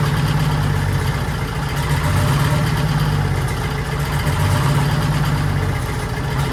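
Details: 1940s Allis Chalmers HD5/D5 crawler, 2-stroke Detroit 271 diesel, first startup after years retired: low, steady chug at even idle without misses or knocks; motor sounds good, smoky exhaust, owner suspects faulty injector needing replacement.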